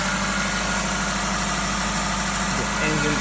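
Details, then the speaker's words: 2008 Toyota Ractis 2SZ-FE after home engine rebuild for oil burning and smoke: cold start, steady even idle with smooth low hum, no knocks or misses; drive belt slightly squishy, engine running normally. "Cold start. Oh yeah, she's alive. Just the belt that's a little bit squishy."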